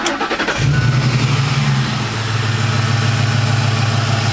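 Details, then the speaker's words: 2007 Ford F-150 Lariat 5.4L Triton V8 with a VCT phaser rattle at 800–1,200 rpm when revved: after start, the computer-controlled high idle at 800 rpm runs steady with no rattle or tick. The cause is unconfirmed; some viewers suggested a loose oil pan part. "but when you start it up and it high Dalls for a second on its own by the computer at 800 it doesn't rattle"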